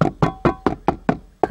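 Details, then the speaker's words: Dacia Logan plastic door pillar trim tapped by hand: sharp taps each followed by a brief metallic buzz as the loose metal plate inside the lower pillar touches the body. Loose trim panel rattle. "și tabla aia dinăuntru atinge în în table și auzi o cum cum vibrează"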